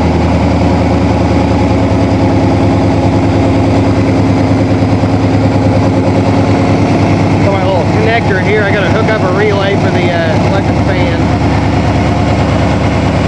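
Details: 1987 Toyota Supra MKIII with swapped 350 Chevrolet Vortec V8 and 700R4, restarted after rebuild with distributor cap corrected 180° and valve lash reset, open unwelded exhaust: lumpy throb at idle, blipped and settling back cleanly; normal running.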